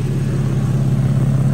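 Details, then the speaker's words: 2012 Infiniti M37x V6 idling after radiator replacement: fast rhythmic low puffing in time with firing from an exhaust leak at a failed gasket. The leak can be felt by hand. "I hear exhaust leak. Exhaust is leaking somewhere."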